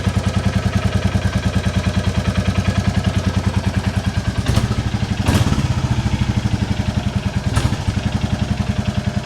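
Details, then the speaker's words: 2022 Royal Enfield Classic 350 Reborn single after its valve clearances were checked and adjusted: even idle thump at about three beats a second with a faint light tick, a remaining exhaust joint blow; normal idle. "I think it sounds good even if it doesn't at least we know they're right let's try that again oh that's lovely I love it"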